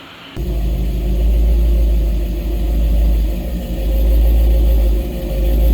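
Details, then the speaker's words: 1955 GMC 100 pickup, first start on a freshly rebuilt 327 V8: deep steady rumble settling into an even, smooth idle as oil pressure builds, no knocks or misses; healthy before break-in. "come on she's building oil pressure yes yes oh my god it sounds good"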